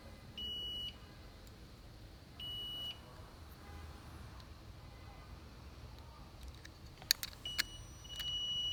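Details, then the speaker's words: Ford Explorer electric fan clutch harness, multimeter continuity test: two clear high-pitched beeps about half a second each; continuity shows that circuit is good, though the new aftermarket fan clutch was found defective with shorted exposed wires. "see makes there's continuity there that means it's a closed circuit it's good"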